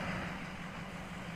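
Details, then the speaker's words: 2004–2007 Ford 6.0 Powerstroke diesel after driver-side dummy plug and stand pipe replacement, warmed up, driving uphill under load with high-pressure oil at 1900–2000 PSI; steady, even drone with no knocks or misses: normal running under load. "load I'm going uphill truck is warmed up and we have a perfect 1900 PSI yeah good pressure"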